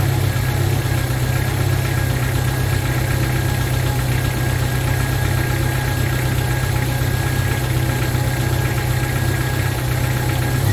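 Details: 1995 Jeep Wrangler YJ 2.5L four-cylinder just after new fuel injectors were fitted: a smooth, steady hum at slightly fast idle with no stumbles or ticking; check engine light went off, running cleanly.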